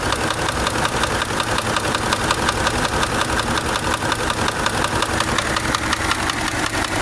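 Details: Subaru engine at idle: steady idle with sharp, regular knock about three per second, clear over the engine; deep internal knock, source undetermined, owner weighing repair versus replacement engine.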